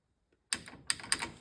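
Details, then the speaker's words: 1969 VW Beetle rear wheel: a few sharp, dry clicks as the wheel turns, the parking brake cable end sticking out and catching inside the drum; not the bearing or CV joint, slight residual noise from spring retaining clips. "a lot of you said e bra cable you're right now why is that just sticking out so much"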